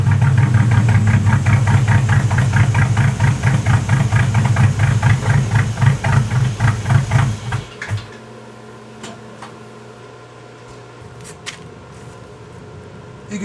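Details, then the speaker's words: 1986 Cadillac Cimarron 2.8L V6, arrived by tow, before its major tune-up: a lumpy, uneven idle with a stumbling beat and shaking pulses before shutting off. Misfire because replacement plug wires go to the wrong distributor cap terminals. "but they ain't going to the right plugs into the distributor cap because that's why it's misfiring and stuff"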